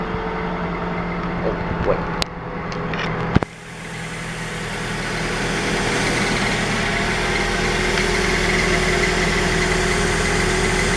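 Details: 2009 Scion xD idling with a faint quick repeating chirp about three or four times a second.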